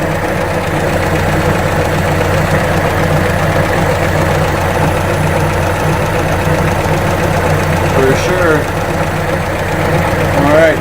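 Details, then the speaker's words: Atomic 4 marine engine running warm with 40–45 psi oil pressure after head gasket replacement; steady, even idle with a fine quick puffing tick over the low rumble from a badly leaking exhaust manifold gasket. "say I got a I got putting the gasket in there she's leaking all over the place"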